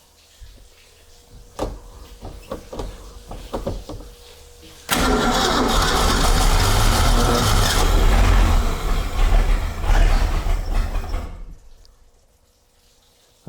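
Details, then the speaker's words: 1976 Ski Nautique boat engine with Pertronix D231801 distributor, first start after restoration, gas squirted in: several cranking clicks, catches and roars about six seconds then fades and dies; hard starting, won't keep running, cause unconfirmed. "let's see if this silly thing fires up without blowing up ignition well couple more squirts of gas"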